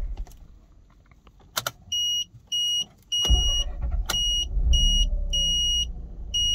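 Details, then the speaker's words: 2006 Mazda RX-8 rotary with a newly fitted uprated starter and a hot-start problem blamed on suspected low compression from failing apex seals: on a hot start the starter bites and the engine fires straight into a steady low idle, so it is normal. "so let's do one more hot start before i end this bit"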